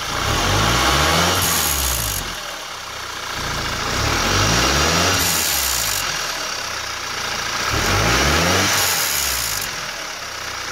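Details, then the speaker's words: 2.0T engine revved three times with a tinny metallic rattle: wastegate actuator rod separating from the turbo arm; fix is an anti-rattle clip; turbo wastegate rattle. "this is one of the real stupid problems that these cars sometimes have where the wastegate actuator rod separates a little bit from the arm that actually goes into the exhaust housing of the turbo and it just separates and it starts to rattle a little bit"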